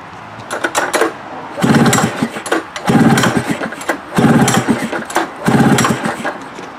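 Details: Ski-Doo engine on the pull cord. Five rough pulls about once a second; it turns over but never fires or catches. Won't start.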